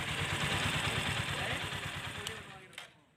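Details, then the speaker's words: TVS Apache RTR 160 4V base model, about two years old, after engine repair for a kit-kit ticking noise: quick, regular putter about three beats a second, no ticking rattle left; engine now sounds clean and normal. "दोस्तों गाड़ी हो गई बिल्कुल तैयार यह अब आपको चलाकर दिखाएंगे इसमें पहले आवाज कैसे इस तरफ कैसी आ रही है आप खुद देख लीजिए"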